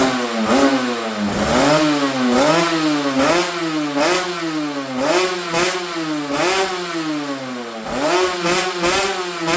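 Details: Yamaha TZR250 3MA two-stroke that wouldn't start, running after old fuel was drained from the carb bowls: crisp blipped revs picking up cleanly and dropping back each time; running healthy.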